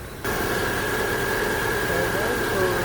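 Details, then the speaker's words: 2010-2014 Subaru Outback after alternator replacement, jump-started: smooth even idle with steady faint whine; alternator charging at 14.2 V, normal idle. "so it's charging, it's running now."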